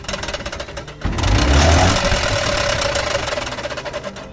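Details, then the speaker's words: Electric tricycle wheel turning stiffly with a rough scraping clatter about four times a second and weak braking. The glued brake lining had come off the brake shoe with age, and the fix is replacing the brake shoe. "这个轮子拿掉以后，我们就看到这个刹车皮已经从这个刹车片上已经脱落下来了。这个刹车皮是粘上去的，用胶应该是时间长了，它自己脱落了。"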